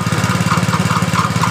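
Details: Steady, even single-cylinder thump at idle with no tick or rattle, from a Honda Supra Fit motorcycle after replacing the burnt stator coil (cause of weak battery and dim lights) and magneto, checked for an earlier rough left-side engine noise; sounds healthy.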